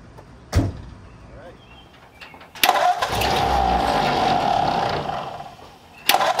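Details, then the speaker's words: Hot rod Ford Model A engine at first start, cold, after starter fluid then gasoline: catches and settles into an uneven, hunting idle that dips and surges; carburetors not adjusted, possibly running lean. "MH they didn't really adjust the cars they might be yeah they might be a little on the lean side"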